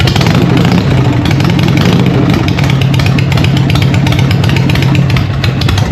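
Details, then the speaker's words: Harley Evo V-twin chopper, first start after an eight-month rebuild, choke on and in neutral: loud, lumpy idle with a steady, even potato beat and no knocks or misses. Normal healthy idle, praised as sounding good but very loud. "How good does that sound? What do you reckon, John? What? Fucking loud."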